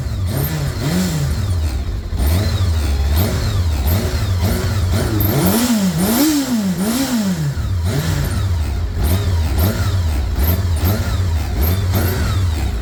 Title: kawasaki zr-7 bad engine noise